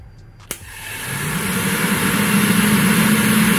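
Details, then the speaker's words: VW Gol G2 electric radiator cooling fan, tested by jumping its two thick wires together directly: a click, then a steady whoosh that swells and holds even; the fan spins up and runs normally. "você vai ver aqui que ele vai fazer vai ligar o eletroventilador ó escuta só o barulho"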